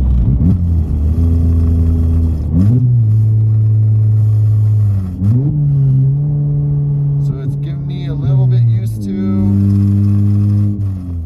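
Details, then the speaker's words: MK7 VW GTI just after an XClutch Stage 2 clutch install with a very light flywheel and an OEM throwout bearing, still breaking in, driving with the exhaust on: revs climb and drop quickly and cleanly on each downshift rev-match blip; a healthy, free-revving engine. "when my revs go up it's it's super fast like it's taking me a little bit to get used to on the downshifts and the REM matching"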